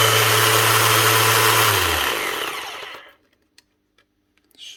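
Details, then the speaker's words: Makita BO6050 sander running: harsh rough whir under the motor hum, winding down as it stops; gearbox grinding from broken gear teeth, typically caused by repeated pad impacts on workpiece edges. "Sounds like the gears getting chewed or something."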